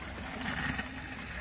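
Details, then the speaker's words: Zoeller M98 sump pump, one of twin main/backup pumps in below-sea-level crawl space, near shutoff: watery rushing with gurgling air, pointing to a faulty check valve. "that's air and something's wrong with the check valve"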